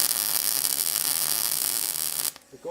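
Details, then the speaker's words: Harbor Freight Vulcan hobby MIG welder burning through thin tube wall while joining to a thicker section: steady hissing arc crackle turning hollow and uneven with popping, the hollow crackling heard on burn-through. "now you hear that that's sort of hollow crackling when you burn through"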